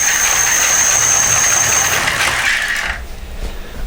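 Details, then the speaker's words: Homemade ebike driven by a car alternator motor with 800 W controller: high thin whine with rattly, creaking drone under throttle, winding down after release; rough-sounding but running and powerful. "don't worry too much about all like creaking and droning noise yeah I know it sounds a bit rough but it actually goes alright surprisingly"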